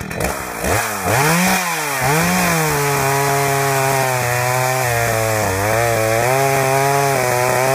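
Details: Husqvarna 61 chainsaw revving unevenly with irregular popcorn pops and stumbles: misfire caused by a loose kill switch wire bouncing in the case and shorting intermittently.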